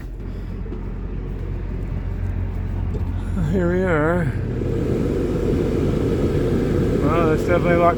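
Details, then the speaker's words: Dometic RV rooftop A/C about six months old, after fixing a loose blower wheel, fan on high: a steady low airflow rush with no rubbing or scraping. Normal blower operation after repair. "well it's not noisy anymore i mean it's noisy but it's not rubbing anymore i think we got it"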